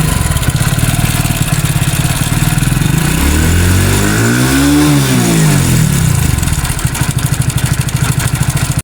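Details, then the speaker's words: Hero Splendor Plus BS6 idling with a loose clattering rattle over the idle beat; worn, slack timing chain noise before replacement with a genuine timing chain kit, engine oil found burnt. "आज हमारे पास पंर bs6 आया है जिसका कि timing चन बहुत ही sound कर तो पहले आप लोग साउंड सुन"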